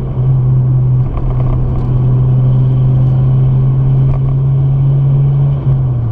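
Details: Toyota JZX100 with 1JZ engine, driving laps on the C1 expressway: deep steady drone building smoothly under load with no stumbles or pops; the earlier misfire has stopped after about three minutes and it runs normally.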